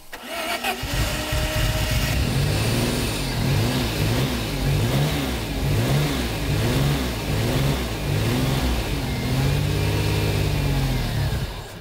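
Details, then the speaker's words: Maserati Biturbo 4.24V V6 twin-turbo after 15+ years stored in a barn, coils found wired swapped: engine catches, blipped in uneven surges for about ten seconds, then dies; stalls every time. "elle finissait systématiquement par caler"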